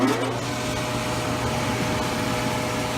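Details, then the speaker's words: Old White shop heater after restoration and a leaking valve repair, pilot lit: the burner fires and the blower runs with a steady, even fan roar, low hum and faint tone, no roughness or surging; it is working normally. "Fire it up, there's the burner in there, flame going. Pretty simple unit, just draws the hot air from the burner up through this box and blows it out."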